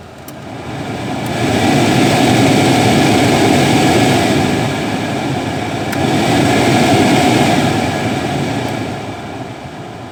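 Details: Peugeot 206 cabin AC blower fan, engine running, after a small plastic piece that caused intermittent whistling was cleaned out: smooth airy rush swelling and easing with fan speed, no whistle or rattle. The blower is now running cleanly.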